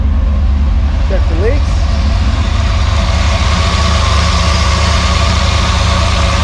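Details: Freshly rebuilt Maliboom engine at first fire, oil pressure up, running through mufflers: deep, steady idle with an even low rumble and no knocks or ticks; the engine sounds healthy.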